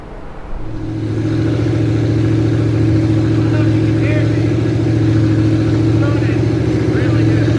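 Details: 1973 Dodge Dart V8 after setting timing to about 30–32 degrees and reconnecting vacuum lines and breather, during cooling work: smooth, even idle with a steady low rumble and no knocks or misses; running healthy.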